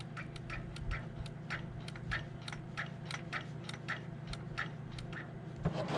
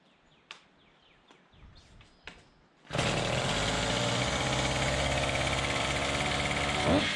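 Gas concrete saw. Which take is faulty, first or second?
first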